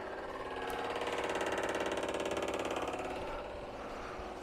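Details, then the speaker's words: 1970 Morris 1300 ADO16 barn find, ignition on, electric fuel pump at the rear pumping fuel out of the tank: loud fast mechanical ticking, about three or four clicks a second, pretty noisy. "You also get to hear how noisy this pump is. Hear that? It's pretty noisy back here."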